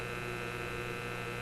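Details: Simplex antique vacuum tube radio, after the Magic Eye B+ fix. Steady low hum with even buzzy overtones, no station or audio coming through. Mains hum.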